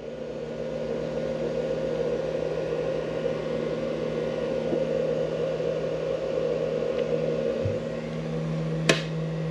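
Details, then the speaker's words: Mini fridge run from a 500W pure sine wave inverter clamped to the Jeep Wrangler's battery: compressor starts with no beep, steady whirring noisy fan over an even low hum, no stutter. Normal running. "you can hear the fan running it's got a noisy fan but i can tell you that the mini fridge is running"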